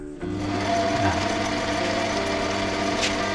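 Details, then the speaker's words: Sieg C2-300 mini lathe after upgrading the spindle to tapered roller bearings, final test run: motor spins up to a smooth, steady hum with no rumble or grinding from the spindle; normal lathe spindle running. "nổ máy thì có tiếng kêu hay, tiếng êm, thử quay trái đều, tiếng êm, ta thử vòng quay cao tốt"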